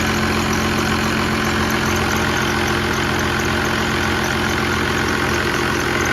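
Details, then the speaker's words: 1969 Dodge D200 Sweptline with a swapped 5.9 first-gen 12-valve Cummins, warming up after a -4°F cold start until the thermostat opened around 25 minutes. Loud, steady diesel clatter at an even idle with constant deep rumble, no misses or knocks: normal warm-up idle. "well it took like 25 minutes with the thermostat finally opened up so it was way too loud to talk"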